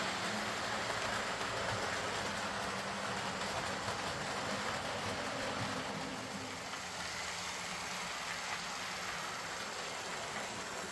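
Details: Old Lima Class 40 model locomotive in BR green, front-bogie fault fixed by fitting a complete replacement motorised chassis: soft, steady motor whirr with light track clatter, no surging or grinding; runs smoothly and quietly.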